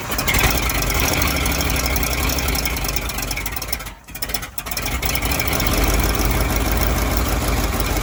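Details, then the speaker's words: Fire truck V8 idling cold, with the thermostat not yet open, after the ignition timing was brought closer. A steady, even low beat with one brief dip midway. It now idles cleanly instead of the earlier lumpy, tractor-like chug. "at first it sounded like a tractor but then when we got that timing closer it started sounding nice man"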